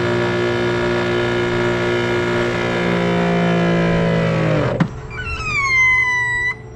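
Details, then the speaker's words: Grandfalls PRO wall-mounted pressure washer (Giraffe Tools) restarted after the hose was filled with water: steady motor hum winds down, then short rising high whistles and chirps at restart; odd startup noise, not loud, cause unclear. "Okay, it makes that noise, but it's not that loud. Okay? This one is quieter than the one before, and this one has a new removable hose."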